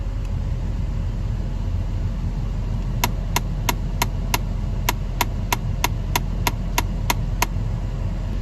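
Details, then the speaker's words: 2011 Ford Flex, key on, recirculation door actuator behind glove box: sharp even clicks about three a second over a low hum, actuator visibly kicking, caused by stripped gear teeth; fixed by replacing the actuator. "You can even watch the actuator kicking whenever it starts clicking."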